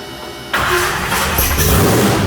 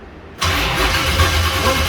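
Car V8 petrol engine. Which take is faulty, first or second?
second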